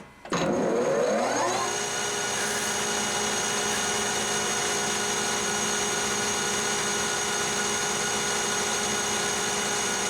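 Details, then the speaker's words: Lathe longitudinal cut on tempered 4140 chrome-moly steel at 1120 RPM; spindle spins up then steady even hiss, blue turnings, chip breaker not engaging, superb finish versus annealed; normal lathe cut. "about 25,000 step the cut again Blue Chip blue turnings coming off of it chip breaker is not engaging finish already looks superb by comparison"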